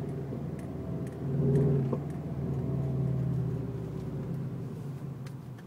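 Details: 2005 Subaru Legacy GT: a low, quiet rumble broken by a few dull, scattered clunks that seem to come from around the driveshaft, pointing to driveline looseness.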